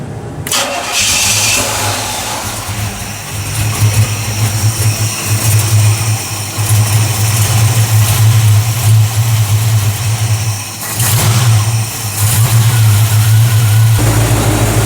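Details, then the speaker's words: G-Body Cutlass with Chevy Vortec 350, first start after replacing intake manifold gaskets suspected of leaking air and causing misfires, still on choke: cranks, catches, steady even idle without stumble or shaking, good vacuum; normal idle. "Sounds good. It's still on choke though. So, once we take it off choke, we'll see."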